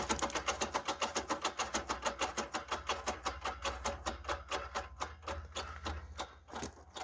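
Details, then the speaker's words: VAZ 21099 rear right wheel turned by hand on a stand after new wheel bearings: rapid rhythmic scraping ticks, also heard while driving; a broken drum-brake return spring rubbing inside the drum. "решил показать и вместе с вами послушать что за звук в заднем правом колесе"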